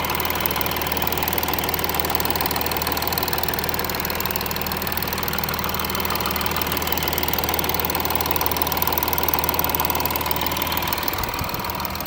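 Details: Audi A6 3.0 TDI 272 PS, fully warm after 100 km of motorway driving: fast even ticking about two per second over a steady diesel idle; camshaft and chain tensioner damage suspected, not confirmed.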